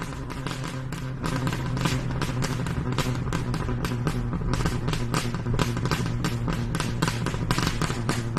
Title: Popping sound?